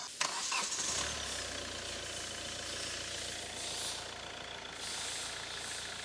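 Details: Diesel Hyundai i20 after replacing damaged engine mount that rubbed body causing rattle at start: starter crank, engine catches, settles into even diesel idle with no rubbing or rattle; fixed.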